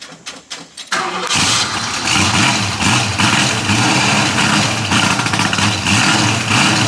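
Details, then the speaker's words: 1971 Ford Mustang Mach 1 clone V8, recorded at the rear by the exhaust; starts after a second, settles into steady lumpy burble at even idle with deep exhaust rumble, sounds healthy. "now it sounds pretty awesome when it's idle but that's about"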